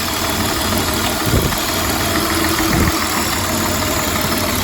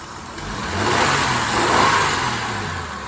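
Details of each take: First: 1999 Honda Odyssey, about 301,000 miles, sat for a while, misfiring: uneven idle with a recurring stumble. Unplugging coils one at a time found the cylinder that showed no change, and its coil pack was suspected. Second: 1999 Honda Odyssey, about 301,000 miles, after resetting the battery: engine revs up smoothly, holds, then settles to even, steady idle with no stumble; normal running, though a misfire was still suspected.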